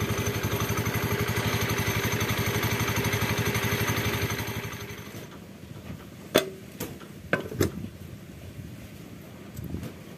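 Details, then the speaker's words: Honda Beat scooter CVT at steady idle with a regular light rattle about four times a second until shutdown: the plate that clamps the clutch linings is worn loose, eroded by the lining lock clip. "ini biasanya yang menyebabkan bunyi kelingking ini dari pelat pelat buat menahan si kampas koplingnya kampas gandanya itu biasanya mulai aus ya"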